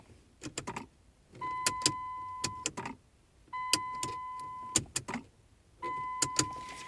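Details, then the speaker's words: 2009 Dodge Journey that won't start with key or fob; battery and radio work. Sharp clicks come from behind the gear shifter between warning chimes, engine never cranks; owner suspects ignition or neutral switch; cause unknown. "Car just will not start. When I do this, I can hear something going on here behind the gear shift."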